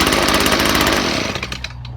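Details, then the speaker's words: Stihl two-stroke leaf blower with the clogged spark arrestor removed and the muffler refitted: the clogged arrestor had smothered the engine. It now revs crisply with a high buzz and spins down smoothly, with no bogging or sputter. "That's what it was. It was the spark arrestor."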